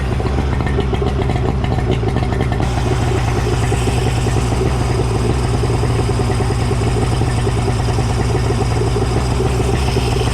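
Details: Suzuki DT65 two-stroke outboard after replacing fuel pump (found mounted upside down) and ignition key: deep, steady burble at even speed without cutting out or surging; running smoothly.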